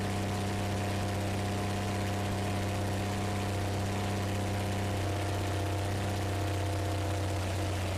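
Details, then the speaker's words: 1970s Plymouth Duster Slant Six first fire-up after a carburetor rebuild, with compression, spark and oil pressure checked: steady, even low idle with a smooth hum and no valvetrain knocks or ticks; normal idle. "we got a runner it sounds good it sounds really good"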